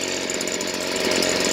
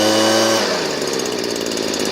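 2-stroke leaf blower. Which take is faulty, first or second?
second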